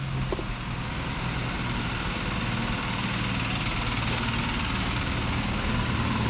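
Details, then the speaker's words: 2004 BMW 760Li V12 with a spun rod bearing: rough, loud idle with a deep, regular knock about three beats a second, coming from cylinder 12. "and it spun a rod bearing was it a mechanic shop getting some work done don't really know what happened but now it's knocking on number 12"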